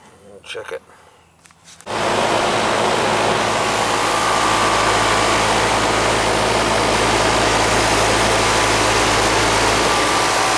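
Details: Central AC during annual service, started from inside; piston metering, 58 indoor and 65 outdoor, 16 degree superheat: quiet pause, then a steady low hum with a constant airy fan rush; system running normally.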